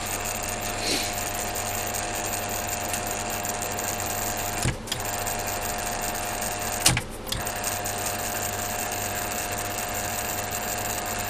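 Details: Rebuilt and upgraded Fukner FU-400 antenna rotator, test run after refurbishment; auto-stops just past south to protect the motor: steady, even motor hum with a light buzzy whir and no knocks or grinding; drive sounds smooth and healthy.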